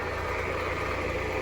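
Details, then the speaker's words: 2019 Jeep Compass petrol engine at idle with a steady rough whirring hum, loudest at the alternator pulley; the mechanic suspects the alternator pulley, a known issue on these, and plans to remove the belt and spin each bearing by hand. "Eu já peguei alguns zip com esse defeito com o barulho na polia do alternador"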